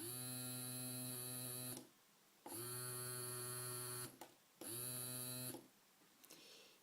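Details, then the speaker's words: Arduino starter-kit small DC motor driven by button in the opposite direction: even high-pitched whir in three bursts, sound slightly different from the other direction; running normally. "Là, ça tourne dans un sens. Et là, au bruit, les bruits sont légèrement différents. On voit que ça tourne dans l'autre"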